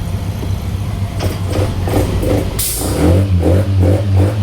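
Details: Yamaha NMAX scooter stumbling and nearly stalling on acceleration while idle is normal: uneven, hesitating revs; the faulty MAP sensor and a failed spark plug were replaced.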